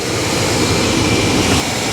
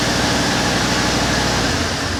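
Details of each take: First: Chevy work truck after fuel-pump-area repair, a rubber line in the tank had slipped down past a step: steady, even engine roar with no sputter, surge or cut-out; fuel pump sounds good, starts right up and runs normally. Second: Chevy work truck that lost power, held to about a tenth throttle and wouldn't start; fuel pump was not the fault. Runs with an uneven surging throb and rumble, sagging as fuel runs out; a slipped in-tank fuel line was starving it.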